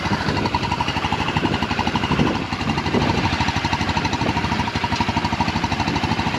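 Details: Yerf Dog Rover 150cc UTV with GY6 150cc engine after rewiring: small single-cylinder putters at a quick, fairly even beat of about three pulses a second, steady with no misses or knocks; normal running.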